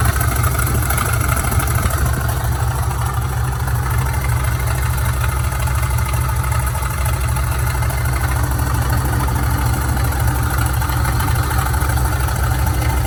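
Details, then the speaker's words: Older Dodge truck idling in park, a constant coarse whirring rasp from the belt drive, gone when shut off. Owner suspected an accessory pulley, alternator bearing or tensioner; worn idler pulley bearing. "I'm sure hoping hoping it's just one of the accessory pulleys and what I mean by that is something along the lines of the a bearing in the alternator or a little tensioner right here or something like that"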